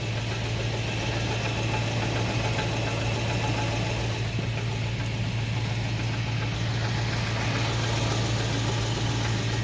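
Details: 2000 Toyota Tundra idling: steady, regular knock underneath, about three or four a second; owner unsure whether it comes from the engine or the transmission.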